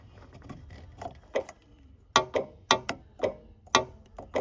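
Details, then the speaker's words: 2001 Porsche Boxster 986 fuel filler tube: metal screwdriver taps the rollover valve ball at bottom of filler tube, giving sharp uneven metallic clicks; ball moves freely so fuel can be added, normal rollover valve. "It has a little ball at the bottom of the filler tube that will move. It will release so you can add fuel. The reason it's there is if you get in a roller accident rollover accident, the fuel does not come out the car."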